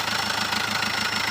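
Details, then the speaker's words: Chevrolet Spin 1.3 diesel just overhauled at another shop, harsh clattery rough idle with loud rattle, brown coolant rising in the radiator and heavy white exhaust smoke; rough-running diesel, cause unclear. "bekas mobil overhaul, tapi ini baru saja hidup sudah parah kayak gini."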